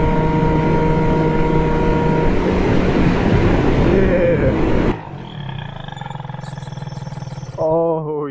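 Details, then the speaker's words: PGO Big Max 50cc big-bore two-stroke scooter on dry-rotted tires during a top-speed run: flat-out scream for five seconds, then an abrupt cutoff and silence as the engine locks up; the engine seized, and the top end was later removed. "yeah. Something's wrong. I don't know if the camera picked up on that noise, but it was not good."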